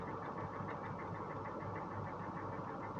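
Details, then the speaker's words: A Northstar V8 at auction, which had been misfiring hard, idles with a light, steady tick-knock about six per second over the hum. A rod knock is suspected but not confirmed. "do you hear that noise is that a knock no way no way man he hear that ticking that almost sounds like a rod"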